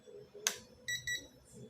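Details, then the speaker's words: HotRC CT-600 6-channel 2.4 GHz transmitter powered by 2S 4000 mAh Li-ion battery: two short sharp high beeps right after switch-on, normal power-up signal. "Bagus ya. Di sini ada suaranya juga."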